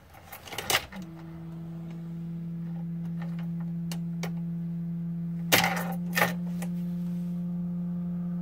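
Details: 2004 Sprinter diesel engine bay: faint steady low-frequency hum at even pitch under a few clicks, from a failing fuel pressure relief valve on the bottom of the high-pressure pump.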